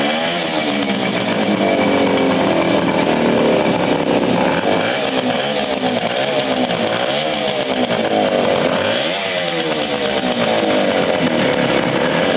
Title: Motobécane Motoconfort 125 LT 2 1975 premier démarrage après restauration